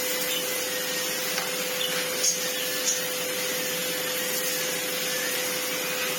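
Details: Old red Sebo C2 Total vacuum on max power after airflow restriction cleared: steady even motor whine with strong airflow rush, no rattles or surging; turbo head spins fine; normal running.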